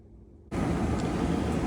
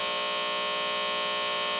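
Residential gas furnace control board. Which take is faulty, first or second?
second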